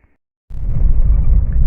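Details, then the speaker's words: 2009 Fiat Idea 1.4 road test after rear suspension parts and shocks were replaced: steady low road rumble with no knocks or clunks from the rear, and the earlier rear suspension noises are gone. "galera fazendo aqui o teste de Rodagem para nossa Fiat Ideia É ficou bom é traseira suspensão traseira ficou bem mais cedo acabou os barulhos e que tinham o devido as peças que foram trocadas"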